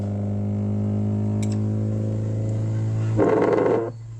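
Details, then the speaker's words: ZAPCO ST-1000XM-III mono block car subwoofer amplifier after water damage, cleaned and washed in petrol: low bass test tone at minimal gain plays clean and even, no crackle, cut-out or distortion; working fine after cleaning. "So பக்காவாக work ஆகிட்டு இருக்கு, எந்த ஒரு பிரச்சனையும் இல்லை."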